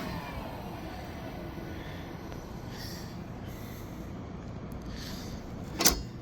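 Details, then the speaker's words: Old York rooftop HVAC unit, probably from the 1980s, no-heat repair after broken damper linkage, dampers screwed shut; steady, even rush of air with no grinding, squeal or knocking; blower motor okay. "screwed those dampers shut. Sounds like that motor's okay."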